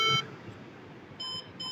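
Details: HP desktop won't boot after power-on: tail of a long beep, pause, then two short high beeps, the three-long, two-short error code, with red and white LED blinks; cause not confirmed.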